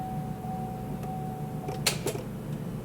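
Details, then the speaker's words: Cadillac SRX no-start: sharp click then softer click as key turns, engine never cranks, even with jump box and charger connected; owner unsure if starter or something else is at fault. "we tried starting with the jump box didn't start just clicked so we got the charger on it make sure everything is okay with the jump box still clicks"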